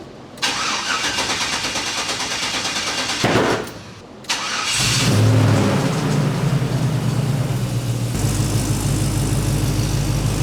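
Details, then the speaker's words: LS-swapped squarebody service truck: cranks, sharp pop as it catches, then a lumpy but steady V8 idle; backfire on startup, cause unknown. "not exactly sure why I wanted to backfire when I started it up just now running good though"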